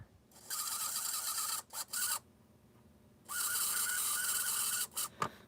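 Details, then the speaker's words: Athearn blue box HO scale Chicago Northwestern F7 model locomotive motor giving harsh, hissy scraping whir in bursts; likely gears or motor bearings short of oil, though over-oiling risks burning the commutator. "Now that sound usually does stem from either the gears or the bearings on the motor not having enough oil,"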